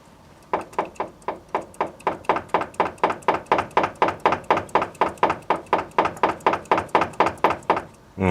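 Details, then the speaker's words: Kia Picanto: sharp, hollow knocks about twice a second as the steering is worked back and forth; play in the steering rack from worn rack bushings, so new tie rods alone won't stop knocking over bumps. "при разборке тяг оказалось что люфтит рейка разбиты втулки в не даже если вы тянете поменять эффект это не даст будет также все стучать армейцев на кочках"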